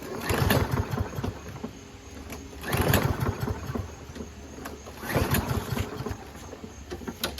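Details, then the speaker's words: Toro Recycler with Kohler XT675 engine, six years old, oil likely never changed, fuel cleaner added; engine catches in short bursts about every 2.5 seconds then dies each time; starts but stalls, carburetor to be cleaned. "And he says that all he does is starts it and then it runs for like 5 seconds and then it stops. That's all it does."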